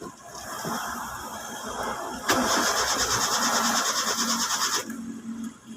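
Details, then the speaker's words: Hyundai Eon 3-cylinder car that kept dying and now won't start: starter whirs steadily for about two and a half seconds but engine never catches; no fuel delivered, fuel pump assembly found faulty; crank no start. "ayaw isa pa on ayaw so ayaw mga boss umandar ngayon ang gagawin natin dito kasi ayaw niya pa rin magtuloy ng start"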